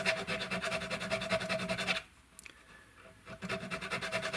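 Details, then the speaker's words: Rhythmic raspy metal file strokes, about two and a half per second, rounding sprouting fret ends on a Mexican-made Fender Telecaster with lacquered fingerboard; sound changes as file starts touching wood. "And once it stops making that noise, then I'm going to turn it on its side where the file and I just want to get the end of that fret."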